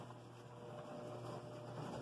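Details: Laundry Alternative Niagara compact washer on its wash cycle: low steady hum with a soft rolling churn. No knocks or grinding; a fairly quiet unit running normally.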